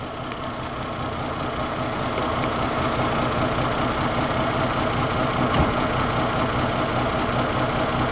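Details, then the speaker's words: Lexus ES 300 with a stall and no-communication fault, cranked while testing the 5 V TPS reference: the engine idles unevenly with a pulsing beat that never settles, sounding close to stalling. Rough running before stall; cause not confirmed. "so it kind of runs not really let's see if we can talk to it while it's running"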